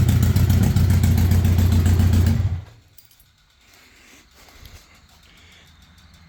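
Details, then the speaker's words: 1982 Honda Goldwing Aspencade flat-four, just pressure washed, newly acquired and needing work: smooth, even low rumble for a couple of seconds before shutting off, no knocks or misses; normal engine running. "pressure washed it and that's what it sounds like"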